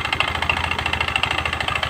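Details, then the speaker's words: Honda Spacy scooter brought in for a very rough engine noise after another shop replaced the connecting rod and bearing; idling, source traced to the cooling fan/magneto area: quick, even metallic clatter from a loose cooling fan rattling on worn fan bosses. "Oke suara sangat kasar sekali ya eah tapi sumber suara ada di sini nah ada di area area magnet kipas ya"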